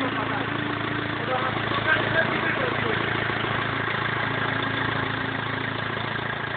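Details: BMW E46 320D 150hp diesel, first start after an engine overhaul following swirl flap failure: even diesel clatter at a steady idle with no misses, knocks or hunting; healthy normal idle.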